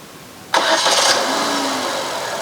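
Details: 2013 Chevrolet Spin LTZ with GS Hybrid 60 Ah 12 V battery (CCA 500) on a cranking test: short crank catches at once and settles into a smooth, steady idle; voltage drops to 10.93 V, alternator charging about 15 V; normal engine start.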